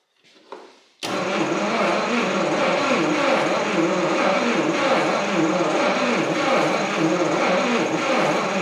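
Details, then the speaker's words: 1959 Studebaker Lark 259 V8, sat 36 years, battery reading 11.5 V on a 12 V system: slow, labored cranking at about 3–4 compression pulses a second, squeaky, and it never catches. Owner suspects a dry starter needing lube; not confirmed. "the starter this thing is turning over really slow and I don't know if that's just like the nature of these old cars but it is a 12 volt system so it shouldn't be turning too slow"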